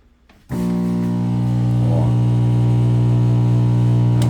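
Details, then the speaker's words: Microwave oven switching on with a loud, deep steady growl as if about to explode; it had a blown fuse and a swollen high-voltage capacitor (about 2100 V). "e galera hoje estô aqui para mostrar para vocês o por que o micro-ondas faz um barulho que parece que vai explodir um Ronco grave"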